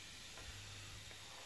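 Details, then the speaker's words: Renault Scénic 2 1.9 diesel 130 hp, idling: steady airy hiss over low diesel rumble from an exhaust gas leak at the turbo inlet pipe, causing occasional turbo whistling; owner says the turbo itself is not the cause. "la fuite elle est là et comment ça il s'en fout ici et ça fait siffler le ca fait siffler dès fois le turbo"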